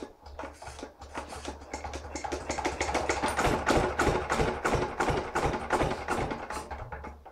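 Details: Lister LR1 diesel with new injector, fuel pump, piston and rings, timing checked correct: slow even chuffing about three beats a second, turning over steadily but never firing; injector creak audible; cranks but won't start.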